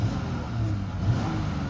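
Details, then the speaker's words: 2012 Dodge Charger police edition, 3.6 V6, 81,000 miles, temperature gauge mid (car overheated before, fans not turning on): revs up cleanly and settles to a smooth, even idle with no knocks or misses. "revs up 9th idle smooth dashboard is not cracked"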